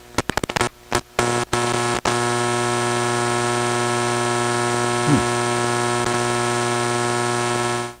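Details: Hammarlund SP-600 communications receiver under troubleshooting; a few crackles and pops, then a loud steady low buzz with static until it cuts off; strong mains hum, owner suspects another failed capacitor or rewired connections, unconfirmed.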